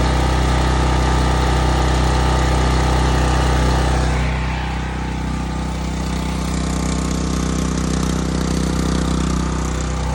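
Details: Sportsman 4000 dual-fuel gas/propane generator started on choke; even, steady hum settling to a lower smooth note after about four seconds, firing regularly with no stumbles, running healthy.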